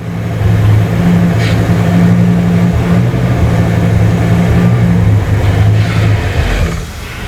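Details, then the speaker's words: 2002 Ford Excursion 6.8L V10, intermittent stall: runs rough with a ragged low beat, then sags and dies; scope shows carbon tracking on number nine ignition coil. "okay so there it died right there it died so now I'm going to take the zoom window and we want to just look at this first"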